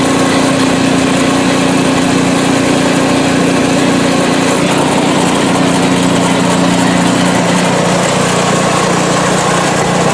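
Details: PowerSmart 24" snowblower small engine, ninth season, about 50°F outside, sidewalk test with auger not run; steady, even drone at constant speed, no misses, knocks or surging; healthy, smooth under no load.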